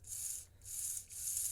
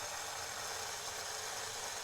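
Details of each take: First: Three short bursts of high, hissy motor buzz as power goes to the second pancake-drive truck of a customized Alco FA1 model locomotive before it is opened; it runs and sounds half decent, though its brushes were later found stuck. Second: Thin, high motor whir with uneven rattly gear chatter at about four per second on a customized project Alco FA1 model locomotive with two mid-80s pancake drives; it gets power but barely moves. Owner suspects a cracked or split gear, perhaps only one wheel driven.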